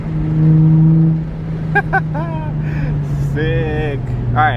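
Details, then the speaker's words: Nissan 350Z driving; a low, steady engine drone, even and unbroken with no stumble or shudder; the owner says it feels really good now, running clean and smooth. "oh yeah feels real good now i'm really happy feels really really good now"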